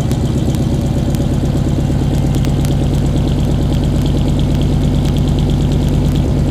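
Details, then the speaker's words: 1995 Suburban cold start at about 20°F: lumpy, uneven idle with a loping beat around three per second over a low rumble, sounds like it has a cam; runs rough when first started cold, cause unclear. "cold start the suburban kind of runs funny when it's cold kind of sounds like it's got a cam in it or something"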